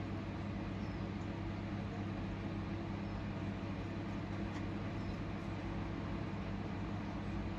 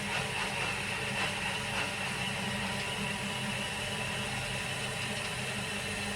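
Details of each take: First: Bilge pump emptying a boat's engine bay: steady low motor hum with a light gargling hiss as it draws air, meaning the bilge is nearly dry. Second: Sounds like it's trying to get a bit more out.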